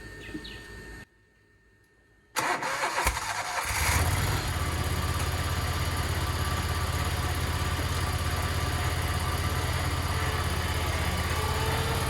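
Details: Spartan SRT-XD zero-turn mower, 37 hp Vanguard engine, after drive/pump belt replacement: quick crank, catches cleanly, then settles into an even steady low idle with no knocks or squeals; healthy.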